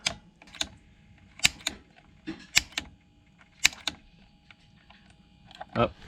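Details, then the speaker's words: Gas water heater being lit, knob turned to pilot and held in while ignite button pressed repeatedly until status light comes on: sharp irregular clicks about every two seconds; normal pilot igniter sparking. "Then you're gonna hold down on the knob, press it in, while you hit this button right here that says ignite. And you're just gonna keep pressing the ignite button until the status light comes"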